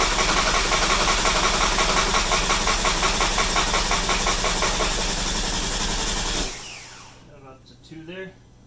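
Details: Porsche 997 Turbo after engine-out repair with noisy water pump replaced, thermostat and reassembly done, pressure tested: even quick idle with steady ticking, no knocks or squeals, then clean shutdown; engine sounds healthy.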